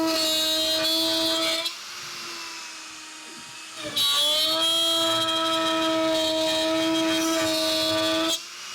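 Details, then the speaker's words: Shapeoko Pro CNC router during a feed-and-speed redline test, each pass faster: a steady high spindle tone with clean passes that pause and resume at an even pitch. It cuts through like butter, a normal, healthy cut. "As you can see here, it just cuts right through like butter. We don't have any problems with it."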